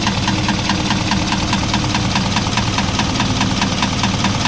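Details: Isuzu 4HL1 diesel idle with sharp regular knock about twice a second over engine rumble; starts easily, no check engine, injectors not suspected; piston slap, cylinder head removed to inspect.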